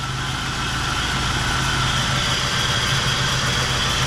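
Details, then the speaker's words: Ford Crown Victoria V8 with a suspected head gasket issue idles evenly and smoothly, with no miss or knock. It sounds unhappy mostly because of an idler pulley noise, but still runs well. "so I got this thing fired up she don't sound happy mostly cuz of that idler p but man she just runs"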